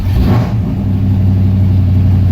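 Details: 1993 Chevy K1500 V8 with new dual exhaust, 24-inch Cherry Bomb glasspack mufflers and small catalytic converters, no gaskets between the mufflers yet: a deep, full burble with a quick rev, a clean exhaust note.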